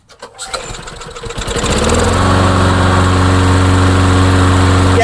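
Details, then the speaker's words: Craftsman lawnmower with a Tecumseh or Briggs & Stratton engine (unclear which): it pulls over a few times, catches quickly and settles into a smooth, steady, even idle; it starts easily and runs normally. "this thing fires up really easy now. really very easy. So, that's a good sign."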